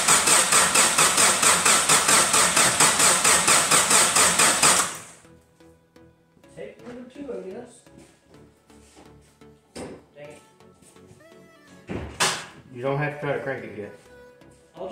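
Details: Geo Tracker after a new gas tank install: the starter churns fast and even for about five seconds but the engine never catches. Crank, no start, with no fuel delivery.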